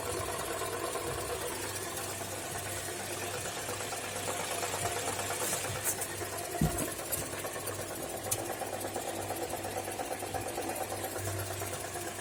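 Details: Toyota Corolla E150 holding a low 400 rpm idle: slow, uneven idle with a soft irregular knock, about three beats a second, over a quiet engine drone; the sound disappears at higher revs, cause unknown.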